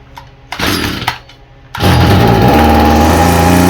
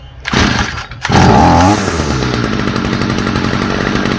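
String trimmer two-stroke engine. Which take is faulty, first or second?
first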